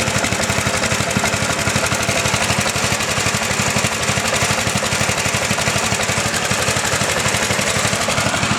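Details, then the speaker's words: John Deere lawn tractor's healthy factory 8 hp engine at idle, side panel removed: fast, even chugging with no misses or knocks, shaky and loud but healthy; normal idle. "Not that it has a problem running, but I was going to show you what a normal 8 horsepower idling motor looks and sounds like."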